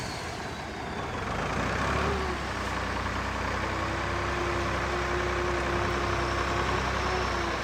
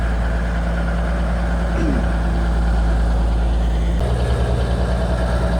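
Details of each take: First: Kenworth twin-steer truck diesel, fuel pump previously stuck, now revving freely for the first time in years: heavy roar rising and holding smoothly without stumbling or hesitation; normal free revving. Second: Kenworth twin-steer truck idling noticeably fast with an even low drone; the fuel pump stuck while the truck sat parked a long time. It is starting to free up as the engine and fuel get hot.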